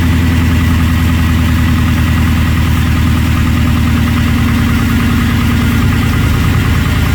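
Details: Gen 3 Ford Coyote V8 swapped into an F-150, first start after replacing the high pressure fuel pump with a Napa unit and priming: steady, even idle with a deep rumble, no fuel pump ticking; running healthy.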